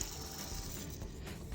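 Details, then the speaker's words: VW Polo/Vento 1.4 CLP engine idler or tensioner pulley spun by hand off the belt: its grease is gone, and it gives a dry, gritty crunching rattle as it coasts down instead of stopping quietly; a worn pulley bearing. "because there's a very bad noise here, crunching noise. But both of the pulleys, the grease are gone."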